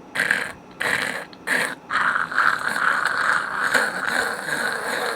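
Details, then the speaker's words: Ceiling fan restarting after a power-failure stop: dry old grease in the motor bearings gives rough grinding and squealing bursts, then a steady growl. Oiling only quieted it for a couple of weeks. "they make a racket and on top of that when you're not making a racket you can always hear the bearings just growling in there"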